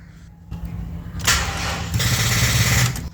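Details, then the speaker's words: Honda Civic won't crank; rapid buzzing starter clicking with flickering dash lights, typically from corroded battery terminals or a dead battery. "It won’t crank at all. Instead, I hear this rapid clicking noise, and the dash lights flicker like crazy."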